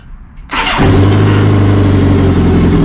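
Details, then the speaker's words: 1984 Honda Goldwing first start after carburetor rebuild and diaphragm fix, little fuel, no coolant, timing cover off: quick starter whirr, catches within half a second, settles into a smooth even low-hum idle; normal start and idle. "And there we go. Looks like it's running pretty well."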